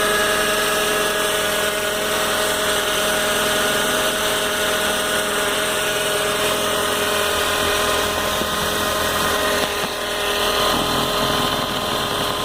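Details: Engine noise on a cold start that is loudest in the morning and fades once the car has been driven a lot: a loud steady engine with a constant high-pitched whine and a fast busy rattle over it, cause unclear.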